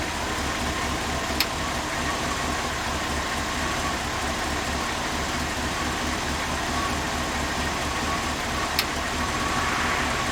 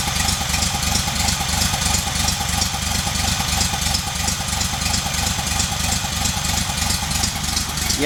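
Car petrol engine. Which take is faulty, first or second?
second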